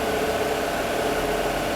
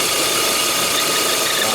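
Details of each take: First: Peugeot 408 with EW10 engine at idle after the torn PCV membrane fault was fixed and the injectors refitted: a steady, smooth hum with no chirp, and it stays unchanged with the dipstick removed. The engine is stable and quiet. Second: Peugeot 408 with EW10 engine at idle, check light on and lambda/catalyst faults: a steady hissy chirp, like a dry bearing near the belts, louder than the idle. It stops when the dipstick is pulled, showing a vacuum leak through the torn PCV membrane.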